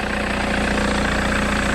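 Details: 2009 Mercedes-Benz W204 C200 just after a new thermostat fitted for failing to reach temperature; smooth, steady idle with an even low thrum and no misses, knocks or surges, checked for cooling leaks; idling healthily.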